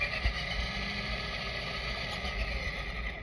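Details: Traxxas Stampede RC truck after scraping dirt from between the gear teeth: steady motor and gear whine, clicking gone.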